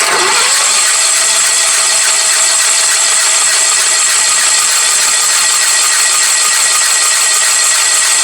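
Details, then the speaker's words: Sears Suburban lawn tractor, believed to be a 1975, running on old, dirty gas from the machine: fast, uneven whirring chatter while cranking, never fires; cranks but won't start. Owner suspects lost spark or low compression. "I may have lost spark. Let me grab my spark tester and test it. Still nothing. It might just be too long compressing."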